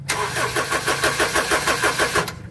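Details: Honda CR-V with hard starting and stalling: steady starter cranking about five compressions a second for over two seconds without catching; cause found as cracked rubber on the fuel pump in the tank.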